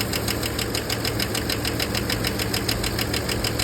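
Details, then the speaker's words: 2011 Chevrolet Suburban 5.3 LS V8 idling with a sharp, steady tick about three times a second; the cause was found to be a bad lifter, the first one. "come on now dog come on man so uh turns out it is a bad lifter it is this first one here"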